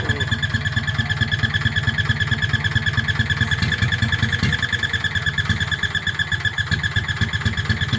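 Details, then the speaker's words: Petter stationary single-cylinder engine, warm (run 10–15 minutes earlier), carburettor recently swapped for a slightly bigger one but still too small; a bit smoky: uneven hunting thump about two per second, coughing, starved by the undersized carburettor. "as typical this engine normally runs absolutely beautiful and it's completely Flawless but of course when you want it to run nicely while you're videoing it it plays up you hear it coughing"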